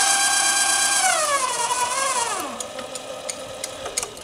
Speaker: and I've tried lubricating all these pulleys and everything I'm not quite sure where that noise is coming from I will have to figure that out at some point